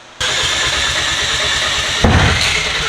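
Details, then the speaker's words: Engine cranks and catches roughly, then a sharp pop cuts through partway in: a backfire during a hard start. It was the longest it had run before losing fuel pressure; owner says the fuel pump died. "well backfire oh you you were so close well we got no fuel pressure that was the longest it's run yeah and then we lost fuel pressure damn it damn the fuel pump died"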